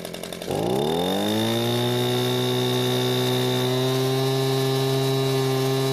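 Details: Echo leaf blower two-stroke after carburetor service: catches at once, smooth steady high drone, no surging; no fuel leak after hours. Normal running after repair.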